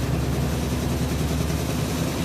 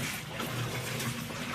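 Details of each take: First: Whirlpool top-load washer WTW4816FW3, bought new July 2023, circuit board already replaced: loud, rough, low rumbling grind throughout spin, never settling; it went to a second spin with no water released. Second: Whirlpool WTW4816FW3 top-load washer, bought 2023, on short wash with auto water sensing, small load. More water was added after it strained on a low water level; now steady sloshing and an even agitator churn. Normal wash agitation.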